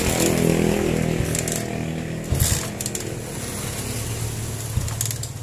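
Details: Honda CB/GL Max/Neotech motorcycle, ignition rewired stator–CDI–coil: even single-cylinder putter with a couple of quick throttle blips, firing steady and clean; normal running.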